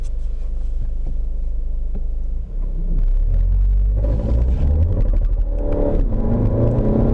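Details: VW Golf 7 2.0 TDI 150 hp/310 Nm accelerating hard in 1st and 2nd gear: uneven twisting crackling rattle under the drone that follows the load; subframe creak, solved by fitting a new subframe.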